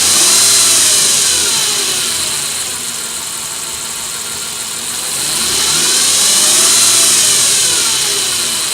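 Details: 2007 Nissan Frontier engine, whine rising and falling in pitch with revs, started suddenly; owner suspects common issue in Nissan bulletin NTB09-128, possibly timing chain; dealer quoted repair.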